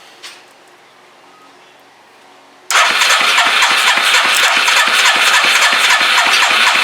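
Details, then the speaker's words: Crusty Suzuki 230 that has not run in ages, with the fuel pump now delivering, cranked on choke with ether starting spray: silence, then a fast, even popping run firing only on the spray. It catches briefly but won't keep running. "Might go get a wee bit of start, you bastard. So I got some start, you bastard, which is pretty much a bit of ether,"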